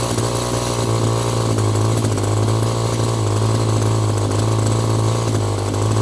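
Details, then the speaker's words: Echo GT2 200i string trimmer with easy start, which had stopped running and would not start, now running after the carburetor adjustment screw was turned out in half turns: a high, buzzy two-stroke drone holding constant pitch without surging or dying; more carb tweaking may help. "honestly honestly I'm just going to let it air for a bit keep the garage door open but honestly i' I'd call this a win"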